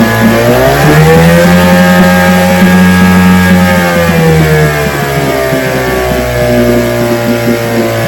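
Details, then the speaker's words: Vintage outboard two-stroke (restored, then repaired) started Wednesday morning with fuel on, full throttle and no prime, firing on the fifth pull: strong steady drone rising, holding, then easing back with no misfires or knocks; it ran five minutes, showing adequate compression. "All right. So, it ran five minutes. So, today we didn't have to prime. It started on the fifth pull."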